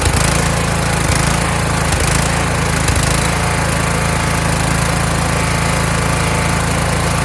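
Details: Kohler Courage engine on a tractor, after a donor-motor carburetor swap whose choke springs back by itself; started choked, winter, engine cover off. Steady single-cylinder chug around three beats a second with only a faint hunt; running properly.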